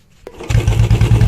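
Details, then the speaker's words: Second-hand Royal Enfield Bullet Standard idling with a hand held over the silencer outlet to quiet the exhaust and hear the engine: steady low single-cylinder thump, even beats, no odd engine noise; healthy idle. "आपने देखा कुछ अजीब सी अलग ही engine से नुमाइश नहीं आ रही इसमें कोई आवाज नहीं आ रही"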